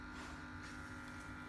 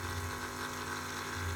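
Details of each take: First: Aqua One 1050 Series II canister filter after a service, filter pad change and flow adjustment: soft steady hum and faint even whirr with no rattles or gurgles; the filter runs quietly and normally, after being noisy for months. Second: so now I can hear there's a little bit of cavitation in the pump, so there's still a little bit of air in there.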